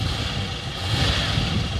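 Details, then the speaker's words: Holden Commodore V6, automatic, being readied for roadworthy inspection, running in hot weather: steady, even V6 hum with no knocks, misses or rattles; engine runs smooth and healthy. "Yeah, it sounds good. Oh, automatic works. Power steering. Big V6, mate."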